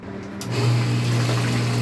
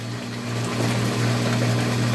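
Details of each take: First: Water pump started: steady low hum and splashing water, then the flow note changes as it stops drawing water. Pump loses suction and stops pumping; cause still to be found on disassembly. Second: I turn off the pump and I come back and turn it on so you can see how good it is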